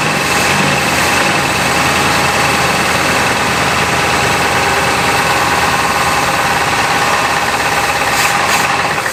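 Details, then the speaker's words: 1960s Oldsmobile 98 V8 revived after 30 years, previously seized: steady idle with dull repeating knock, crank bearings seem labored; running hot after about a minute, intake 170, exhaust 210 degrees, thermostat closed; cause unknown. "She knocks to a stop, dude. She's running real hot for how little she's sitting, or how little she's running."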